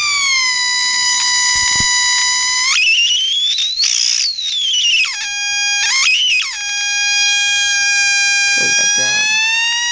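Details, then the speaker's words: Armstrong regenerative receiver running on reserve capacitor: regeneration turned up causes a loud piercing whistle near 1 kHz sliding in pitch, oscillation from too much regeneration versus voltage balance. "And I can turn up the regeneration and hear it squeal."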